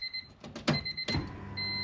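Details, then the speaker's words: $500 turbo Honda Civic with a new aftermarket fuel pump and relay, grounded at the seat belt bracket, at key-on: relay clicks, then a steady faint electric hum as the pump primes normally, louder than stock but not excessive. "oh yeah you can definitely hear it kick on I'm going to feel the relay oh yeah it's clicking and you can definitely hear that pump a lot louder than the stock one but not ridiculously loud"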